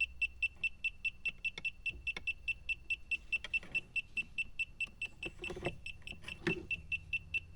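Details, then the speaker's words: A/C refrigerant sniffer held in the dead air space at a low spot: rapid steady beeping near 3 kHz, about two a second, rising in urgency. Slow leak confirmed; the owner suspects the evaporator core. "Oh it's leaking boy this thing is sensitive and good"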